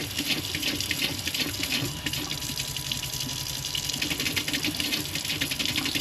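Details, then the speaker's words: RV water pump running off the fresh-water tank, before fitting a pressure-sensing pump controller: tap stream surges and splatters in a regular pulse as the pump cycles on and off under demand. "So, show you guys this water pump before. See how it kind of pulsates there? That's"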